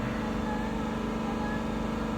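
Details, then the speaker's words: 2021 Dodge Durango R/T 5.7L HEMI V8 after new spark plugs, accelerator released: steady, even idle with smooth low hum and no stumble or miss; normal idle, no abnormal noises. "In this case, the engine sounds good. I just released uh released uh the accelerator. Still no uh no abnormal noises."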